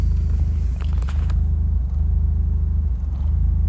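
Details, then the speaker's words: 2000 Mazda MX-5 Miata, automatic, codes P0302 and P0420, cat and O2 sensors already replaced without change: deep, lumpy idle in Drive that stumbles and wavers, shaking the car, steadier in neutral; cylinder 2 misfire. "idles eh just jump around a little bit when I'm in neutral it doesn't really jump around too much but as soon as I put it in drive car starts shaking"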